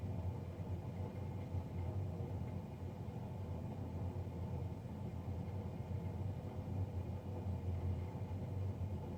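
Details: Navien NCB-240 combi boiler fan: a steady, deep droning roar with no rhythm or pitch change, much louder than normal.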